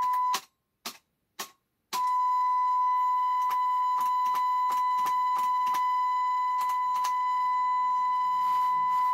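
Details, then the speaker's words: Telefunken HA 750M amplifier with speakers connected, steady test tone cutting out and crackling with sharp clicks as the control is turned: dirty, poorly contacting potentiometers needing cleaning. "Słychać. To drżenie dźwięku spowodowane niestykaniem tego potencjometru. Też czeszczy."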